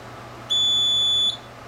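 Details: Printer error alarm: one sharp, high-pitched beep under a second over a quiet room; the print head had been hissing like leaking gas on returning to the maintenance station, recurring even after the maintenance station was replaced, with errors requiring shutdowns.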